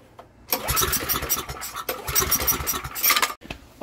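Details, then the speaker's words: Estate-sale generator, air filter off, on choke with starting fluid; cranks and catches with an uneven rough bark, running about 10 seconds without settling into a steady idle. "it just started for a brief 10 seconds now it's time to take it off the choke"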